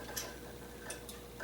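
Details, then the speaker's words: Harbor Freight 93212 mini lathe headstock during a rebuild, belt off, only the gears turning: a light, uneven ticking under a faint whir. The noise was traced to the intermediate-shaft pulley pushed on too hard, side-loading a dry bearing. "that does not sound good there's no belt on it that's just the gear inside in this"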